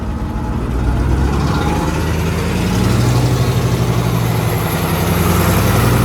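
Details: Allis-Chalmers AC 440 tractor diesel after the faulty fuel pump was replaced with the pump pulled from a 555. Steady idle with no lope or surging, running clean; the earlier loping came from the fuel pump.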